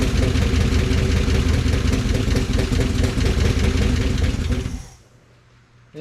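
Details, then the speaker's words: 1955 DeSoto Firedome Hemi V8, first start after years in storage: rough low rumble runs about four seconds then dies as fuel is withdrawn, electric fuel pump not running; stalls without fuel supply. Externally regulated carb, bad blow-by noted. "yeah if I take the fuel away it stops oh we don't have the pump going"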